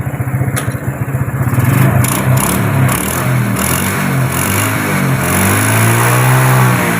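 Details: Farmer's daily-use motorcycle that had stalled, with the fault traced to the spool (spul), starts and runs steadily, revs up and settles cleanly with even firing after repair; healthy engine running normally.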